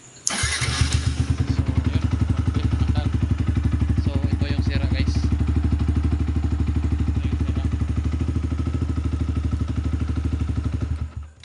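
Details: Yamaha R15 V2 motorcycle that wouldn't start, no click, faulty relay found and bypassed: starter catches immediately and engine settles into a steady even idle about four beats a second, no misses.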